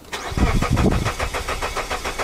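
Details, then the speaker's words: Suzuki with a misfire and an intermittent compression problem, cranking at about six even pulses a second; the starter cadence is now even with no lazy beat, so compression is currently equal across cylinders. "it's like where did my compression problem go here how nice the Cadence is now that's good how weird"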